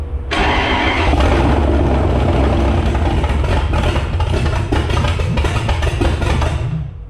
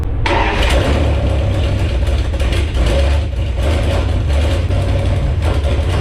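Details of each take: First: Jeep Grand Cherokee drag-race beater V8 with carburetor, start attempt: cranks, catches within a second, revs up, settles into a steady rumble; clean, healthy start. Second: Jeep Grand Cherokee drag-race beater V8, testing throttle linkage: deep rumble with throttle blips, runs steadily then dies from fuel starvation because the leaking fuel pump was switched off.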